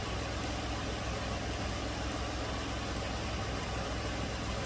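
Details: 2008 Toyota RAV4 3.5 V6 that had set misfire codes P0300/P0302/P0304: after unplugging the number 2 coil, a steady, even idle rumble with no skips; misfires stopped.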